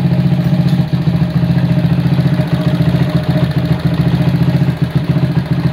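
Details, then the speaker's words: 1977 Honda CB100 K3 before rebuild, carburetor mounted without insulator spacer: compression still good but noisy engine with busy clattery top-end chatter; idle stays high and won't drop even with idle screw turned out. "Untuk suara mesin agak berisik. Terus untuk karbu idle-nya tidak bisa turun. Ini sudah diputer-puter ke arah luar juga tetap ya, langsamnya tinggi."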